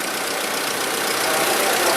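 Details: 2014 Volkswagen Polo 1.6 with 34,000 km after replacing accessory belts, tensioner and water pump: steady, even idle with smooth hiss and no squeal, rattle or knock from the belts.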